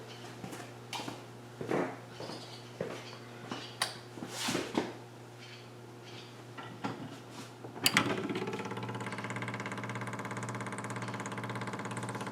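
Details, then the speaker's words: Electric fuel pump newly wired through a relay on a carbureted car converted from a mechanical pump, ignition on, engine not started: a few clicks, then a steady, even electric pump hum as it pressurizes; normal operation, no leaks. "that's our fuel pump running off the relay and it keeps the loads down we can see as everything pressures up there's no leaks no runs no errors everything's tight"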